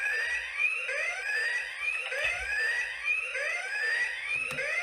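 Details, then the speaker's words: Early-2000s toy laser tag chest receiver during repair testing: rapid warbling electronic alarm, rising chirps about once a second after being hit five times; hit-out alarm working. "okay okay Jesus Christ I think I killed this guy which is good so it's like a fivepoint system"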